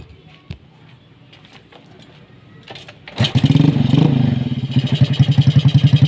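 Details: Yamaha Vega ZR / Jupiter Z Robot motorcycle, unused a year and a half, after clutch rework with 4 springs, fresh oil, fuel and a new cable: quiet, then catches into crisp, regular putter after a short rev; normal start and idle.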